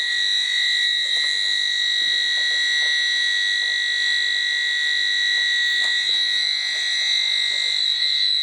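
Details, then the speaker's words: Gas sniffer in a commercial plant room being checked that it works after a leak repair: shrill, steady high-pitched alarm that won't calm down; detector alarm at high gas concentration. "Wow, I upset this bad boy. He's not happy with me. He's not even going to calm down."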